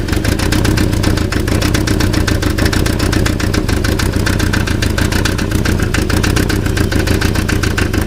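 Fast, even metallic ticking over a steady idle sounds like it comes from the engine, but it is a loose catalytic converter rattling.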